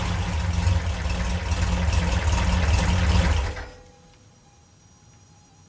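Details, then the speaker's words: 1974 VW Karmann Ghia with dual IDF carburetors, after starter repair: quick, even cranking about four beats a second for three seconds; starter seems to engage every time and spins fast, normal healthy cranking. "Not only does it seem to engage all the time, but when it spins very quickly."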